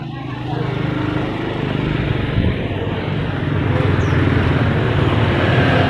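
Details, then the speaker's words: Yamaha Vega R motorcycle that had stalled and been pushed in, running again after the spark plug was replaced: small single thumping at about three or four beats a second, firming up steadily with no misfire. Normal idle. "Sebenarnya cuma sepele teman-teman ya, kerusakannya itu hanya sepele karena busi saja. Ini tadi ini udah nyala sekarang."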